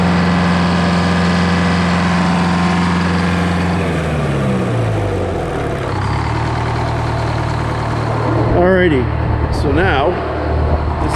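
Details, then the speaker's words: GM 4-71 two-stroke supercharged diesel, about 160 HP, probably 50–60 years old, Frick sawmill engine, warming up before a secondary fuel filter change: loud, steady high-pitched scream with an even firing drone, strong and smooth; normal running. "so I'm going to let it run for a second while I do this but just to hear what this thing sounds like this thing is is awesome"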